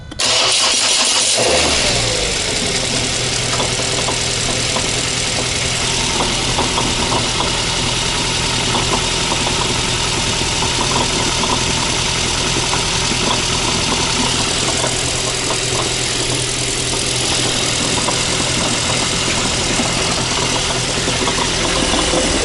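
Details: Ford Mondeo 4 / Focus engine cranks, starts and idles with an uneven clattering knock from the dual-mass flywheel; the knock occurred only in cold weather and disappeared after about five kilometres of driving.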